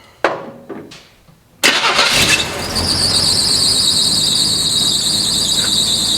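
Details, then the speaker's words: 1980 Chevy C10 square body pickup, long-abandoned, running on carburetor fuel while the float is tapped: engine catches, then a loud, steady high-pitched squeal from its single drive belt holds over it. Belt squeal. "one of these belts is well i guess there is only one belt and it's really unhappy"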